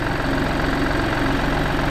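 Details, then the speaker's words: 2014-2019 Mini F55/F56 at idle: steady idle with a fine fast buzzing rattle heard in the cabin, caused by an AC pipe with a broken clip touching the body from engine vibration; fix with zip tie or new clip. "This pipe, as you can clearly see, it's been touching. It touches the body with the engine vibration coming from there traveling all across and it touches the body."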